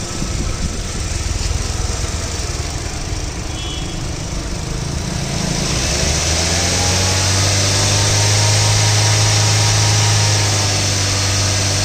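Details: 2017 silver Toyota Corolla Altis: engine idles, then steps up into a steady drone with an even beat, AC being switched on and off; reported engine noise, no clear knock pinned down.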